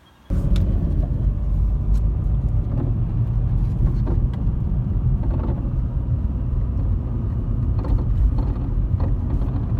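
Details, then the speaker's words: VW Golf Mk5 TDI on a road drive: steady road rumble with dull clunks over bumps from somewhere under the front end; front suspension suspected; a new track control arm bush later failed to cure it. "where we're getting a load of clunking noises under the front end somewhere my guess is something to do with a suspension"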